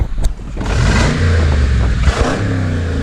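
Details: Rebuilt Brabus 6x6 Mercedes-Benz G-Wagon, recorded outside for exhaust sound: deep rumble rising cleanly with throttle blips and settling back without popping or rattling; healthy exhaust, runs great.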